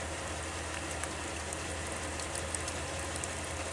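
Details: 2001 Pontiac Aztek GT front sunroof drain tube, headliner removed, blown out by mouth to clear the leak: continuous soft trickle and patter of water running through unblocked; drain flowing freely.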